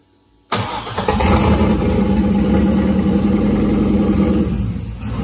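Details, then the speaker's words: LS V8 in the turbo LS caravan on its second start attempt, after the PCM was tuned and unlocked and injector data corrected from 25 to 70 lb/hr. It catches quickly after a short crank and settles into a steady, even idle; normal start. "sounds a lot healthier i love it man i love how this thing runs it sounds"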